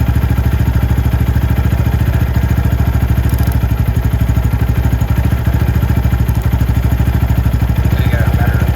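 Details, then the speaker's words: Venom X22R Max 250cc fuel-injected single-cylinder motorcycle, idle judged perfect and not needing adjustment at the throttle body screw. Steady, even putter with regular firing pulses and no misses or hunting. Normal, stable idle. "The idle on this bike is perfect. I can turn it up, but I don't really want to."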